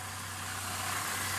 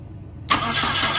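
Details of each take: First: 2001 Saturn L200 that would not start after a blown fuse, with an ignition module suspected: quiet, even idle with a steady low hum under a light hiss, no misses or stumbles. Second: 2001 Saturn L200, key bumped after a fuse check: the starter spins the engine briskly with full, even cranking and plenty of compression, but it never fires. Crank no-start; a crank sensor was suggested by someone else, cause not confirmed.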